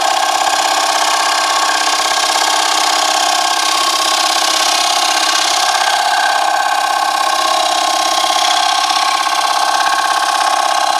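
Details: Wood lathe turning a box elder flat platter: a loud, steady, harsh ringing scream with fast chatter through the cut, showing the gouge is cutting rough rather than cleanly, before the technique is changed.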